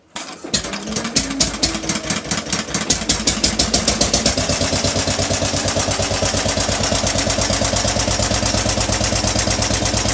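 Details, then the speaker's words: Western Electric 15B light plant single-cylinder engine starting and running without load before a 25 A resistive load is connected; cranks, catches and settles into an even steady beat with no knocks or misses; normal start and idle. "so you'll hear the engine running not under load first and then i'll put the load on"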